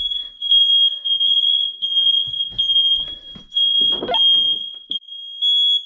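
Loud piercing high-pitched alarm tone holds steady with brief gaps over some handling noise; the smoke alarm is sounding properly on test.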